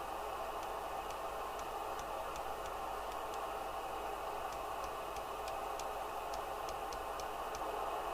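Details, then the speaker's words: Kernow DW900 CB27/81 UK FM CB radio (about 1990) on receive: constant loud hiss with sharp ticks about twice a second, interference from a nearby 1970s 5ft fluorescent light refitted with an electronic ballast replacing the failed traditional one. "I replaced the inid with a really expensive electronic ballast which was Swiss made which I got from RS Components and it causes so much interference it's unbelievable"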